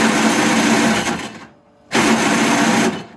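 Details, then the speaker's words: Toro Snow Commander 38602 single-stage snowblower, electric start on extension cord: two harsh high-pitched whirring grinds with no firing; stripped gear on electric starter motor, also bad gas. "I have a feeling I'm gonna have to take this all apart because the starter sounds like it has issues and it won't start"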